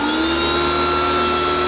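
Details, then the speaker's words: Kioles electric pressure washer just switched on, failed on second use: thin steady high-pitched whine over motor hum, rising in pitch as pressure slowly builds; abnormal whine, pressure inadequate and motor never cuts off. "it will come on you'll hear a very high-pitched whine and as it increases pressure the wine becomes higher in frequency"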